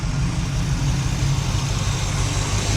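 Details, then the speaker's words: 1986 Oldsmobile Cutlass 442 V8 after fitting a rebuilt Quadrajet carburetor: deep, even burble at steady low idle with no hunting or stumbling; idle dropped to proper speed, smoother than before; previously cranked long and idled rough. "Idle came right down to where it should be. I can tell you this, in this brief amount of time, I can see this is the best this car has ever run since I got it anyway. The engine sounds better, it's smoother."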